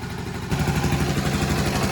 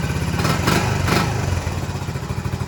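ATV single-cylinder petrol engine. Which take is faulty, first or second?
second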